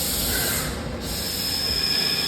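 A steady, smooth cutting hiss with a faint high ring and no chips crunching, so the lathe is making a clean boring pass.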